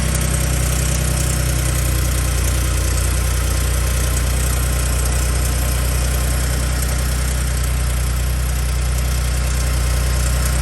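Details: Gen2 Ford Raptor cold start at about 53°F after sitting two days: a deep steady idle rumble with a faint uneven rattle about three per second. It is heard only on cold start and seemed louder than before. The owner suspects the cam phasers or the turbo actuators.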